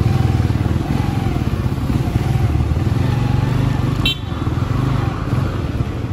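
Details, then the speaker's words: Skygo 150 King scooter riding home after a two-year overall service with an oil change and brake repairs: smooth, steady engine drone with even pulses and no ticking or rattle. Normal running engine; sounds like new. "Ayan, no, napaka ganda, may brake na tayo, dalawang brake, tapos may brake light na, condition na yung brake light, tapos ayan, no, ang ganda ng tunog, no, parang brand new yung motor natin."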